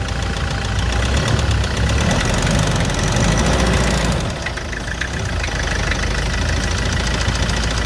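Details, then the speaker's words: Toyota SW4 2017 with 2.8 1GD diesel that ingested water and dirt through the intake, idling after washing and new filters and oil: deep knock about four per second under the clatter, fading slightly midway. Melted crank bearings; damage deeper than expected, engine condemned and coming out. "Então, guerreiros, essa agressão aí foi mais profunda do que a gente imaginava. A gente achou que esse motor ia aguentar esse desaforo aí, mas não aguentou não."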